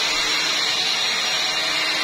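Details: Electrolux Ergorapido 2-in-1 Allergy cordless stick vacuum after a misassembled part was refitted correctly, previously noisy: steady, even airy whoosh, running smoothly with no rattle or knocking.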